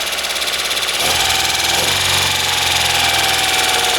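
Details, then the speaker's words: 1997 Opel Astra after timing belt and head work, running with old oil to flush water out: light quick ticking about three per second over steady idle; valve tapping, owner not worried yet. "like I said you can hear that tappety noise but I wouldn't worry about that yet I'm gonna let this run and do what it needs to do"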